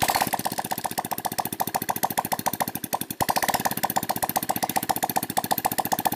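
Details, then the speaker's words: Shogun R 110, revived after flood damage and nearly 3 years dead, run with the exhaust removed after overhaul to check for smoke; crisp rapid even popping at fast idle; slight smoke at first, normal running. "ini mau kita hidupkan tanpa knalpot tujuannya untuk melihat apakah masih berasap atau tidak"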